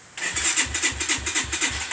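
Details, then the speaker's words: Atomik 250 Pro X bike after two weeks of work, carb fixed by fitting a fatter needle after main jet and needle-clip changes failed: key and button start, catches at once, quick even chuffing idle, no misses; starts and runs cleanly. "put the fatter needle in it just fixed it that ribs plane now it starts like a tree you flick the key you hit the button"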